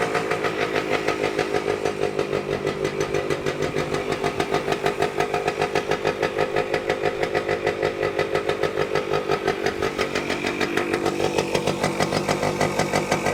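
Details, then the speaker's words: Vintage two-stroke motorcycle, either a 1973 Yamaha RD250 or a 1974 Kawasaki F7-175, refiring after a part was refitted with a possible tach issue: crisp, even popping at a steady fast idle with a light raspy exhaust. It is running normally. "sounds good yeah yeah"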